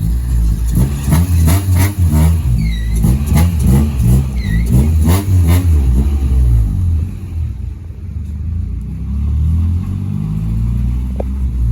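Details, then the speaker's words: Sedan on a test drive after new parts, no power steering. Low engine drone under load with irregular lumpy pulsing, rising and falling with speed, plus a scraping sound. Owner suspects the transmission; source uncertain. "Holy crap, you hear that, guys? I don't know if this sounds like the transmission's bad or... Oh my God, that doesn't sound good at all."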